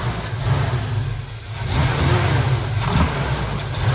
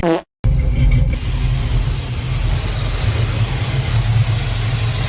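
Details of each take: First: Chevrolet needing choke to stay running: the engine note sags on quicker throttle as if about to die, then picks back up, though it's fine going slow. Owner suspects the carburetor, timing, or fuel delivery. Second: GM car started after an oil change, needing a little choke to stay running: steady even low rumble with no stumbles or misses; idling very smoothly, though owner says it needs a tune-up.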